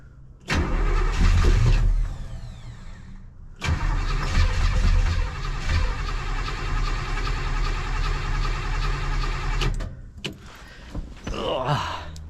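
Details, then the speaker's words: Bored 283 small-block V8 in a 1967 Chevelle after advancing the timing, cranked knowingly without fuel; accelerator pump later found frozen. Steady rhythmic starter churning in two long bursts with no firing. Crank, no start. "I know it doesn't have fuel yet so but I'm just curious"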